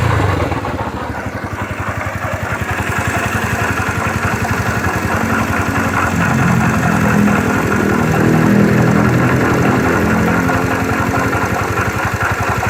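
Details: 2009 Yamaha Factor YBR: steady idle, quick even beat about 220 pulses a minute with an added rattly edge; strange engine noise.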